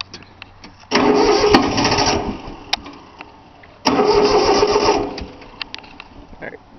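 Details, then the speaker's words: 3-cylinder Yanmar diesel cold start after glow plug heating: two bursts of steady cranking, roughly four turns a second, no firing or pickup; fuel lines weren't bled, leaving air in them, though it usually starts right up. "Alright, guess a little bit more glow plug. She ain't wanting to start. Just getting a little bit closer."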